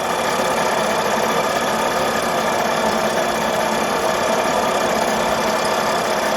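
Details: Cyclo (moped) with rebuilt two-stroke engine running on the test bench during break-in: flat, choked buzz stays pinned and won't climb in revs; a blocked exhaust is strangling it.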